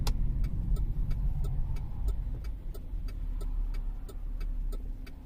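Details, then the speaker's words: 2013 Cadillac CTS 3.0 RWD cruising after differential repair: smooth, low road rumble with no droning, clunks or vibration, the driveshaft now quiet. "guessing it was a bad wheel bearing based on the vibration but i just can't believe how quiet is hopefully you guys could hear the drive shaft"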